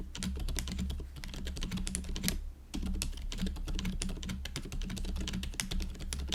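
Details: GoPolar TKL after silent conversion to factory-lubed Silent Cream Yellow Pro tactile switches and a stabilizer stem fix, typing test: fast typing gives soft, muted clacks, no spring ping or stabilizer rattle; switches and stabilizers quiet and healthy.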